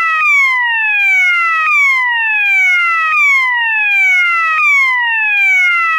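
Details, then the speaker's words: System Sensor MASS121575ADA swept-frequency tone (clip A), the reverse of its slow whoop: loud falling sweeps from high to low, about 1.4 seconds each, repeating steadily. Normal alarm tone. "okay the next tone is sweat frequency and this tone is basically the same as slow loop except it's in Reverse"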